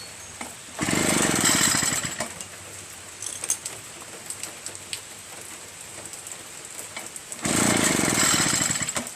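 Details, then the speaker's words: Echo PB-403T backpack leaf blower two-stroke, after carburetor clean and magneto reinstall, kill wire reconnected: two quick pull-cord cranks give a fast ratcheting rasp but it never fires; kill switch suspected busted, starts once kill wire removed. "And you see, now it doesn't start because of the kill wire. Maybe that switch was busted, you know?"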